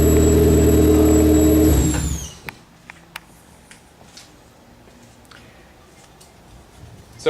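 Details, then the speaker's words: Car at idle and with slight throttle: thin steady high-pitched whistle; owner suspects alternator, but replacing the alternator did not fix it; belt also suspected. "I am almost sure that that noise high-pitched noise is coming from the alternator when I give it a little gas we got that"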